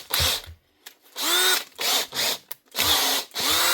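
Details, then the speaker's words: Makita 18V cordless drill from a repair box: short high-pitched motor bursts starting and stopping cleanly with even speed and no grinding; both speeds, clutch and hammer all working. "And she's going on to both speeds. What's wrong with this one? Clutch is working. And hammer's working."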